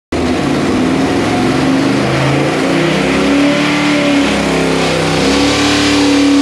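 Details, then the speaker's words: 408 ci small-block Chevy with a Quadrajet on the dyno, with ignition breaking up at about 5600 rpm (448 on the last run); steady high-rev scream with a ragged, stumbling edge near the top; high-rpm misfire. "get break it up breaking up at about 5600 even on that last run it made 448"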